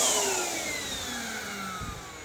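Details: Hoover WindTunnel High Performance upright vacuum running after repair while vacuuming a living room: a steady high whir with strong airflow hiss, pitch easing slightly as it settles; normal healthy running.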